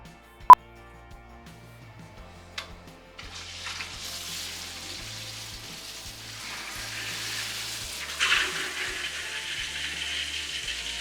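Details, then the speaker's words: Whole-house water system after changing the filter and closing the valve: faint clicks, then a soft, growing rush of water as the diaphragm pressure tank refills and repressurizes; normal refill. "that's what's going that noise is what's going into the diaphragm tank right yep yeah it's refilling the tank now repressurizing it"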